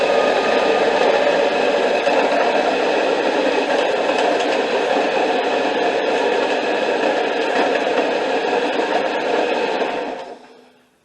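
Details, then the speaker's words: 2005 Honda Accord 2.4 K-series engine, alternator previously soaked by a leaking power steering pump, battery light flashing: steady rough grinding and rattling like a blender crushing ice, constant with no rhythm; worn alternator bearing noise. "Best way I can describe it in person is it sounds like a blender is blending up ice, chopping up ice."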